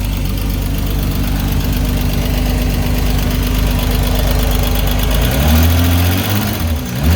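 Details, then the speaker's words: Six-cylinder engine after reassembly; owner suspected an unseated spark plug wire left it on five cylinders. Even idle with a steady beat, the valve train noise gone, then a brief throttle blip; now running on all six. "okay so the valve train noise right away went away great news definitely sounds like a run around six"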